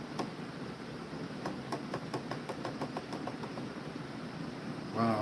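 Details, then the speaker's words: Pulse motor at 100 volts: quick, uneven ticking about three per second with a loose, rattly edge; sounds loose, possibly the PETG part, cause not found. "that doesn't sound right sounds loose"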